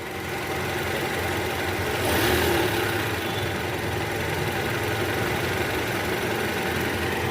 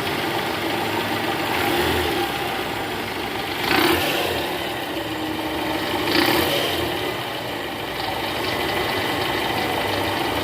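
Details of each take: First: 2012 Toyota Camry 2.5 V, 2AR 2.5L petrol, 106,000 km, after balancer shaft replacement curing cold-start rattle from oil pan area: smooth even idle with brief rev rise, no rattle or ticking; normal idle. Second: 2012 Toyota Camry 2.5 V, 2AR 2500cc engine, over 100,000 km, cold start idling in R: "kretek" ticking rattle heard clearly at the oil pan with a stethoscope, gone once warm. Indicates a loose balancer shaft, to be replaced.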